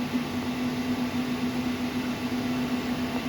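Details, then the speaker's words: Growatt 12k split-phase off-grid inverter running a 240V 18,000 BTU mini-split heat pump: a quiet, steady hum with a soft airy rush from the component cooling fan, no rattle or grinding. The cooling fan is running normally. "there's that fan that kicked down again"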